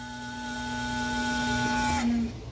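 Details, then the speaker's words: Brastemp frost-free refrigerator (BRM35/BRM43): a steady whirring whine with several tones and a hiss from the freezer evaporator fan. Possible causes are a worn motor bushing and shaft, among others. "e Esse barulho tá sendo oriundo do ventilador tá é o ventilador que tá fazendo esse barulho"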